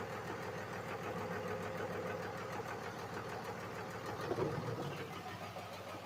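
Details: 5.9 Cummins diesel in a truck, run after tightening transmission lines, no antifreeze yet: quiet, steady idle with light, even diesel knock ticking and no surging; normal diesel idle.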